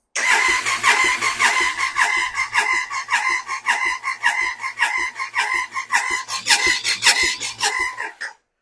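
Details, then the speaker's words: Triumph Sprint 955, long off the road, cranking at full throttle with coils out for a compression test: fast, light starter spin with a soft even chuff; cylinders 1 and 2 show about 50 psi versus 160, traced to tight valve shims. "Right, so we have lowish compression on 1 and 2."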